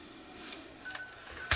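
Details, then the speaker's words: Sony DCR-TRV120 camcorder with C31:22 error, tape loaded: dry, irregular crunching clicks as the take-up spool stops and the tape is chewed and destroyed; cause found to be a bent pinch roller arm, not edge connectors or rotation sensor. "Oh, that didn't sound good. That sounded like something got crunched. H. Oh, yeah. Oh, yeah. The takeup spool stopped."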